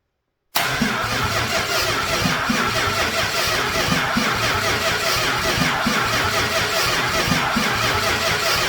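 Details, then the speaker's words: Old rebuilt starter cranking a brand-new, tight big block with all plugs in and high compression: steady, even cranking at about four beats a second, a little slow but strong enough to start. "Well, I'm going to call that a yes. She's not real quick, but you know what? I'm sure that's enough to start it."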